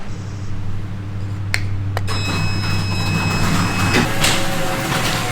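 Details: Ryobi garage door opener running normally: a steady low motor hum with a couple of sharp clicks as the door travels evenly, after fixing the fault where it only beeped and did not move.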